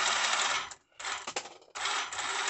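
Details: Tamiya DT02 holiday buggy after swapping a dead speed controller for a new one and a Speed Passion 7.5 brushless motor, first test without sensor cable: short bursts of smooth high-pitched whirring, no stutter or grinding; motor and controller working.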